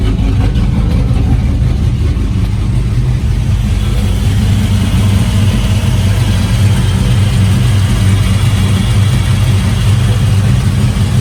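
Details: Truck V8 after fixing a bad misfire (suspected spark plug wire on the manifold, possibly pressure-washer damage): even, continuous low drone, slight rise on throttle, no skips; normal running.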